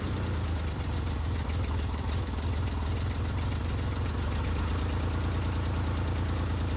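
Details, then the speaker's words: Ford Bronco II yard truck on a warm day (about 70°F), started cold after no-start troubleshooting, no choke: low, lumpy, uneven idle that barely keeps running until warm and then starts to even out; rough cold idle. "Just let it get some warm in it so it keeps itself going. There's no choke or anything like that."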